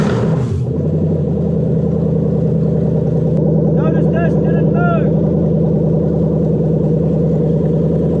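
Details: Toyota 1UZ-FE VVTi V8 test engine run on a 2UZ ECU: steady even idle with a smooth low drone and no knocks or misses, throttle body hum audible; engine running cleanly.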